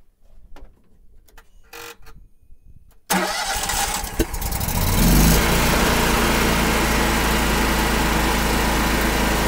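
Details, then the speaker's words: Miller Trailblazer 325 EFI welder at about 803 hours, after replacing the oxygen sensor for rough idle and throttle surge: engine cranks, fires and settles into a steady, even run with no surging or stumbling. "okay that seems to fix the problem so at eight hundred three or three hours needed a oxygen sensor"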